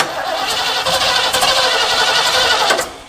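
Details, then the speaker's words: Mid-1970s Ford Ranchero parked about five years, cranking from cold: ragged, random pops instead of even firing, won't start; spark plug wires later found off by one position. "That's really weird how it's hitting really randomly."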